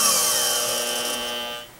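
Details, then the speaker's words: Bestline AL-500P milling machine power feed, speed control checked: clean steady motor whine rising evenly in pitch as the pot is turned up, then cutting off; feed motor running normally. "as you can see the further we go in it the faster it goes"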